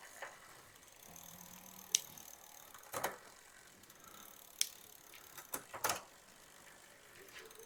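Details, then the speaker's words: Walmart Concord e-bike rear derailleur after adjustment, pedalled: quiet freewheel ticking with a few clean single clicks on shifts, no chatter or grinding; properly adjusted quiet shifting. "You hear the chain just going through the thing, but you shouldn't hear any kind of clickety-click clicks."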